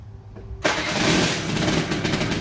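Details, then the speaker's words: 1985 Honda Spree two-stroke scooter, probably unstarted a week or two: fires first try and holds a busy, steady idle without stumbling; owner says it smokes after sitting but rips once warm. "everything works it smokes quite a bit um when you start it up if it sits for a while but once it's warm the thing absolutely just rips"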